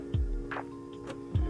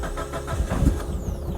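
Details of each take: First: Mitsubishi Evo 9 no-start: two single dull clicks about a second apart with no cranking after either; the starter is not engaging, and it is replaced with an STM starter. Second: Mitsubishi Evo 9 after installing a new STM starter to cure click/no-start: brief whirring crank, then the engine catches cleanly and settles into a steady, even idle. Normal engine start.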